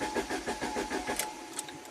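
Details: 1993 Saab 9000 CSE Turbo, flood-damaged engine computer, main relay and check engine light not coming on: even starter cranking, about six compression beats a second, never fires; crank no start, no injector or ignition triggers.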